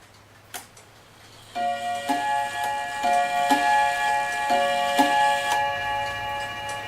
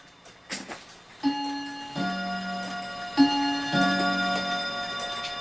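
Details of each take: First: Dutch Friesian Tal wall clock after bushing repair and reassembly: clear gong strikes about every half second in reversed order, because the single and double gong rods were mounted in swapped positions. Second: Dutch Friesian tail wall clock after cleaning and oiling: clear ringing gong gives two spaced, evenly fading strikes at 2:00 over soft ticking; strike train works normally, though the clock stops randomly from a worn bushing.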